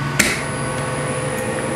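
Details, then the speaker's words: Three-phase induction motor on a star-delta starter, starting in star (Y) connection: a clunk as the contactor pulls in, then a light, steady hum with a faint high tone, lighter and less forceful than in delta. Normal star-connection start. "Gumana yung ating Y connection. Pansin niyo, medyo light lang yung ano niya, light lang yung tunog niya. Hindi siya ganoon parang kabilis."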